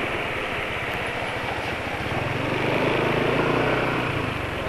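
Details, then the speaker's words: BMW motorcycle single at idle, oil only 86 km old and not topped up: steady light tapping about four per second; owner attributes it to piston-to-cylinder friction and fears worsening fuel dilution; oil being changed. "Ini karena suaranya gesekan antara piston dan silinder. Ini olinya sengaja nggak penulis tambahi apa-apa. Pemakaian masih 86 km. Kalau dipaksakan sih mestinya bisa ya sampai besok. Tapi penulis ragu karena suara sak-saknya sudah konsisten ya."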